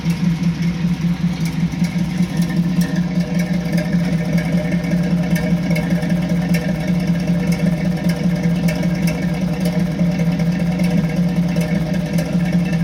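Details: 1986 Chevrolet C10 idling: steady low idle with an uneven, loping beat about two or three times a second, a suspected intermittent misfire that keeps recurring, cause unconfirmed.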